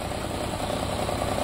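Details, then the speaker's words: Nissan Versa 3-cylinder with 271,000 km, weak and using a lot of fuel: rough, uneven idle with irregular pops from a cylinder misfire caused by a burnt exhaust valve. "Carro está falhando, fraco, muito fraco. Funcionamento horrível, consumindo muito combustível."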